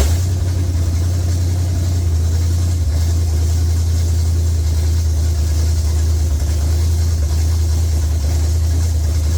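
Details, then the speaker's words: Rebuilt Pontiac 400 V8 in a LeMans with honed, rust-damaged cylinder walls, an unknown used cam, and the carb fed by hand: a loud, heavy rumble with an uneven, lumpy beat. Rough running; rust or valve adjustment suspected, not confirmed. "I mean, I don't know. like it runs like trash, but it's all rusty. Cylinder wall."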